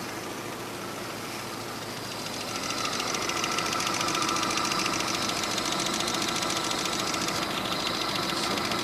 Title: стук в двигателе 417